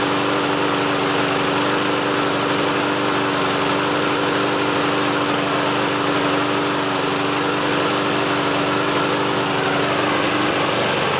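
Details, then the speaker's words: Troy-Bilt front-wheel-drive self-propelled mower from a used lot, on its first start attempt: the engine runs with an uneven, stumbling beat that never settles. Owner thinks the carburetor needs cleaning out again. "kind of sounds like the carburetor needs to be cleaned out again so I'll go ahead and do that"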